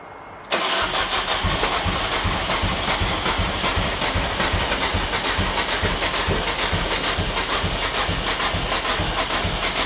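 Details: Rocket, cranking attempt: steady, even starter cranking at a quick regular beat that never catches or fires; cranks but won't start.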